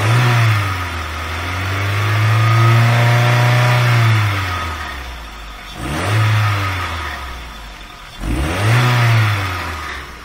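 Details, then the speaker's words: VW A3 2.0L (Mk3 Golf/Jetta platform, possibly automatic) with no power: idles fairly nicely, but under acceleration revs swell slowly then fall flat even with throttle held open, muffled strangled exhaust; restricted exhaust from clogged catalytic converter, customer declined replacement. "it eventually gets to the point where you can hold a throttle open and it just won't pick up anymore and that's because the exhaust is restricted"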